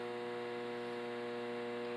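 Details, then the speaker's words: Samsung combination microwave and oven on a 30-second microwave run: loud, steady electrical buzz of constant pitch while it powers up and the turntable turns but nothing heats; failed magnetron. "And I hit start, you're going to hear a buzzing noise from it, and what it does not heat anymore."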